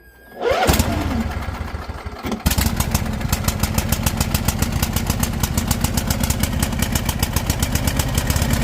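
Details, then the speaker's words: Husqvarna lawn tractor with Briggs & Stratton single-cylinder, PTO safety switch bypassed with electrical tape, blades removed; starter cranks about two seconds then engine catches into quick even putter, normal start and idle. "There we go, guys. A little bit of electrical tape bypassing that switch. It's going to make things a whole lot easier"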